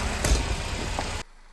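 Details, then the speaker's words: Nissan Qashqai auction purchase that had been making a belt noise; after the belt was removed and refitted, a steady, even low idle with no squeal or chirp, and the noise can't be reproduced; normal idle. "I'm really confused because I can't make it make the noise and everything sounds like a Swiss watch sounds perfect now"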